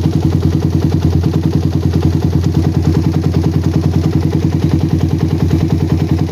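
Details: Single-cylinder bike with a PWK carburetor that ran wet at low RPM, after tuning. The idle is a steady, even thump, and pressing the throttle slide for a long time has no effect. The cause was too little air under the slide.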